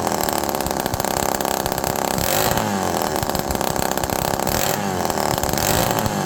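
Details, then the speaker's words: Homelite Super Mini two-stroke chainsaw, cooled off, running without exhaust: raspy, blubbery uneven buzz, erratic returning to idle; running rich, possibly due to missing exhaust rather than air leak (suspected). "Now it's starting to get really rich."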